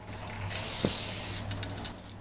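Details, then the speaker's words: Spray paint can fitted with a blue skinny cap, standard-pressure can: steady hiss breaks into uneven spitting bursts, the spray sputters; cause unknown. "Die stottert so ein bisschen. Keine Ahnung warum. Die stottert."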